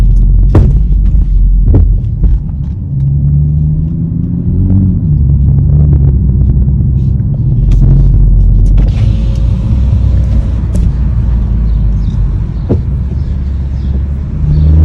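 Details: 2021 BMW M440i: deep steady engine rumble with a low, loosely regular throb about three to four times a second; knocking noise, source unclear.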